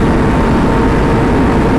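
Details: 636 motorcycle ridden on a cold day (about 57°F), recorded with GoPro Hero 11 using a mic adapter: steady, deep engine drone, clean and even with no pops or crackle.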